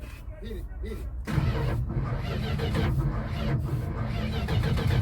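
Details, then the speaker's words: 1973 Chrysler Newport 400 V8 junkyard car, not run in years, cranking with spray and throttle open; uneven chugging, weak catches, never runs; owner suspects weak battery or distributor wiring. "it seems like it stops at some point like it TR then it like like it's catching yeah like it's catching"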